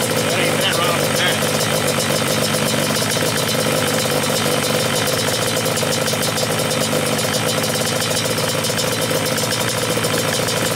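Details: Yamaha Banshee two-stroke twin, stock carbs at baseline: air screws 1 turn out from seated, idle screws 2.5 turns in from contact. Steady, crisp idle with no hunting or misses: normal idle.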